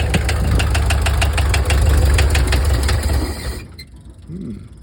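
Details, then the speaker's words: 1968 VW Double Cab Transporter, air-cooled, after 5 years in storage: rough idle with heavy, fairly regular knocks about three per second over low rumble before it dies; knocking, cause unknown. "Well, sounds like pretty nasty knocks."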